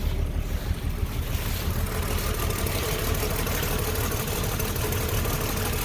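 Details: 1966 Dodge Dart, 225 slant six with carburetor choke set, cold start after a cold spell: deep, even chugging idle with steady beat, no knocks or misses, strong low exhaust note; healthy cold idle.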